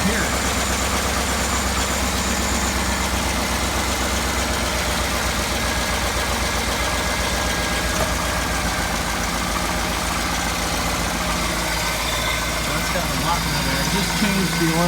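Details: 2007 GMC Yukon Denali 6.2 L92 V8, 220k miles, cold start below 10°F: steady idle with light irregular ticking chatter until about half warm; owner suspects pushrod chatter and piston slap, improved after 0W-20 synthetic and Seafoam.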